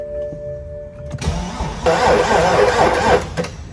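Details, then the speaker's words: 2011 BMW 335d with M57 diesel, towed in crank no start, battery good and charger connected: very slow, labored cranking at about four beats a second that never catches; slow cranking, no start. "tried to crank it and it's got a very very slow crank like it's having a really hard time turning the engine"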